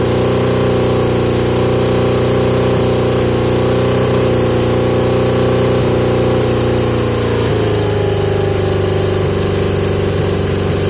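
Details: 1980 Yamaha XJ650 with pod air filters, after carburetor work. Idle hangs high with wandering pitch, drops abruptly partway through and keeps hunting. Revving issue with a suspected air/mixture cause, not confirmed; owner trying 115 main jets and taped-over pods.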